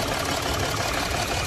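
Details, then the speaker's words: Jaguar XF V6 diesel at idle: uneven lumpy beat, engine shaking and jerking, misfire code P0301 on cylinder 1, restricted performance limp mode; faulty injector suspected, oil leak also present. "Engine हिल रहा है और अंदर fall code show कर रहा है। Restricted गाड़ी ली mode में चली जाती है। वाइब्रेशन हो रहा है। इंजन झटके दे रही है।"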